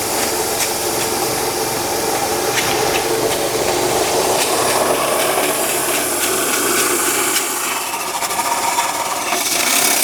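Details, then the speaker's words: 2006 Honda CR-V: harsh, raspy grinding scrape from the accessory belt drive, engine bogging and smoke appearing; seized AC compressor clutch dragging the engine, power steering pump also bad. "It's getting angry. Definitely angry. Smoke! Yeah, it's probably a good idea to stop now that we're seeing smoke. I suspect the noise to be coming from something that's driven on the accessory drive belt."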